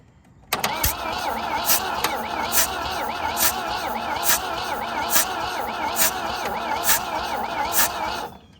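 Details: 1966 Volvo Amazon 122 estate, abandoned and being revived: starter spins the engine at an even, steady rhythm for several seconds but it never fires; crank no-start, with the distributor suspected to be 180 degrees out.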